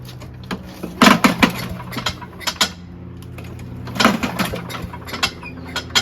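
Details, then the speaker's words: Craftsman chipper shredder, pull-start attempts: irregular bursts with scraping clatter and the engine never catching. The flail rotor hits the housing and robs cranking speed; a bolt was off and a crack found. The engine itself sounds okay. "So it's not going to allow me to have enough momentum because the blade or the carousel type flailing stuff, the flywheel, it's going to hit the thing and not give it enough speed to start. The engine sounds okay though."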